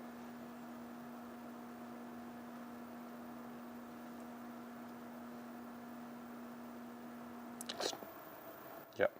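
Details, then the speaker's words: Apollo Phantom scooter after a V3 upgrade kit install, running motor detection on a bench with the wheels spinning freely: a quiet, clean, steady hub-motor hum rising from low to higher revs, then a couple of clicks; no grinding, normal. "so here we go you can really hear the humming noise it's going to start at lower rev and then go higher"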